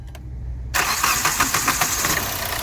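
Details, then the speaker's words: 2012 Hyundai Verna Fluidic after ECM repair fixing cylinder 3 injector circuit fault: engine catches at once on self-start and settles into an even idle, knocking completely gone, cylinder 3 working again. "ਲਓ ਜੀ ਤੁਸੀਂ ਦੇਖ ਸਕਦੇ ਹੋ ਜਿਹੜੀ engine ਦੀ knocking ਆ ਬਿਲਕੁਲ ਖਤਮ ਹੋ ਗਈ ਤੇ ਗੱਡੀ ਹੋ ਗਈ ਬਿਲਕੁਲ ਓਕੇ"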